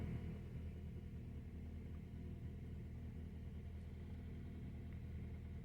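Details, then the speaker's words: 2012 Honda Accord 2.4L automatic, code P0301, at idle: low, uneven, shaking rumble; live data shows cylinder 1 misfiring badly and a small misfire on cylinder 4, not ignition coil or spark plug. "number one right there is misfiring as you can see well cylinder well this has more than one cylinder misfire cylinder number four is also miss kind of misfiring"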